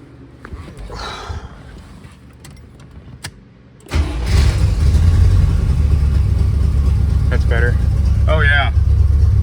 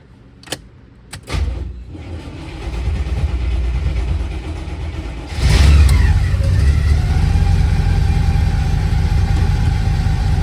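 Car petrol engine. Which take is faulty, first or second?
second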